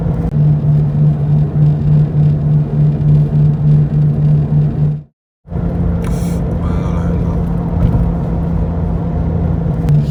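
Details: Used Toyota 86 (ZN6) automatic with 57,000 km, recorded while driving: a deep droning hum with a slow wah-wah throb felt through the whole cabin floor, apparently from around a wheel. Caused by play in a worn wheel hub bearing.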